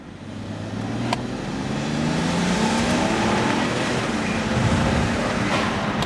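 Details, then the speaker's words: N54-swapped BMW 335i E91 wagon on new tune, traction control off: hard pull with smooth rising drone, no stumble or popping as boost builds; normal turbo acceleration, less rich smoke than before. "but you just feel the whole car lift with the power as it starts building up the boost"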